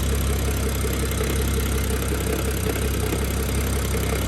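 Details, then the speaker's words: BMW F10 with N55 engine, freshly installed MFactory lightweight single-mass flywheel and 550 clutch, recorded under the car near the flywheel. It shows intermittent light rattle at idle in neutral around 700 rpm, not fully warmed up after a few minutes running. "to be honest it's rather intermittent and from what i understand it's only when it's in neutral and around 700 rpms or so maybe"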